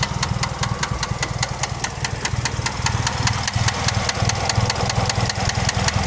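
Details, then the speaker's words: 2001 Pontiac Grand Am 2.4 LD9 twin cam at steady idle: sharp, regular deep knock about two–three per second, possibly sounding like it's from the transmission; persists after rebuild of rod/crank bearings, balance shaft, timing chain; owner suspects wrist pin, unconfirmed. "Why does it actually low-key sound like it's coming from the transmission?"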